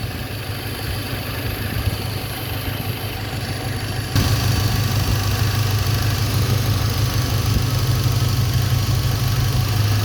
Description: When the ignition wire is shorted, the RPM comes down slightly, the AFR jumps up and the engine starts chugging a little bit. This indicates that cylinder is not dead.